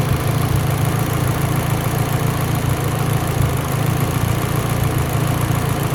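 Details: Mitsubishi Evo X, lean idle: low, lumpy idle with uneven beat and occasional stumbles instead of smooth tick-over; idle misfire, cause suspected lean, not confirmed.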